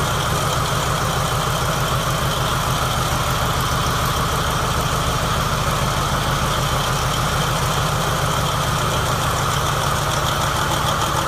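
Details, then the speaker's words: New 2017 MTU 16V diesel genset, 2250 kW, 1800 rpm, 3 hours' runtime, test-run from a temporary diesel tank: a smooth, steady idle with an even low thrum and no knocks or stumbles. Normal idle. "Checked it out. Everything seems to be normal and running properly."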